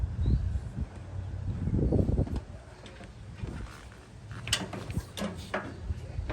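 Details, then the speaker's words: 1998 Yard Machines 13/38 mower left sitting for several years, cranked with a weak borrowed battery; starter labours in slow uneven chugs without catching, cranking too sluggish. "all right not cranking very good but hopefully that'll be enough to at least list get a uh bark out of it if it'll even do that"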